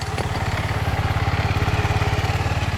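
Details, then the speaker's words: SYM Lance Cabo 125 scooter running after drive belt replacement; even, quick single-cylinder putter about fifteen beats a second, steady and clean with no slapping or chirp, the belt drive sounding healthy. "the first time i did it the wheel was spinning sounds pretty good that sounds pretty good and see how it tightened up nice"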